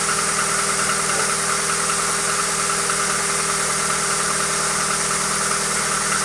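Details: Hyundai Accent engine at idle, a constant drone with a faint, somewhat uneven ticking knock of about two to three per second; cause unknown.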